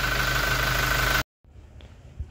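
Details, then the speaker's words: Toyota Innova Reborn diesel, idle, oil filler cap open: steady even clatter with faint low rumble, no high pressure or oil spurting; quiet "ketimpung" present but normal. "Ah ada suara ketimpung atau tidak ada ya tetap ada suaranya tapi pelan"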